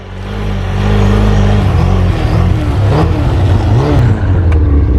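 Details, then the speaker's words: Two-stroke snowmobile, running well last year, now dogging: rough uneven run with pops and crackles on throttle, not firing on all cylinders; carbs suspected, due for cleaning and tune-up. "It's not running good at all. Sounds like it's not running on all fours."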